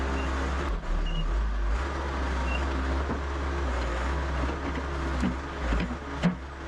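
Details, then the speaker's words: Excavator with Deutz diesel, running after first start in about three months: steady, even rumble over yard noise, no knocks or misses; engine healthy. "Yeah, that Deutz likes to run."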